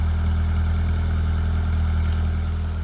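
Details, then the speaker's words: 1993 Peugeot 205 Style with an unmodified 1.1 litre petrol engine, started after five months garaged. The back box was replaced five years ago after an MOT. Smooth, even low idle with a steady beat and no ticks, knocks or stumbles: healthy. "that originally I had that changed five year ago because it came up on the MOT so I thought getting new new bakbox on that does sound quite nice they're in"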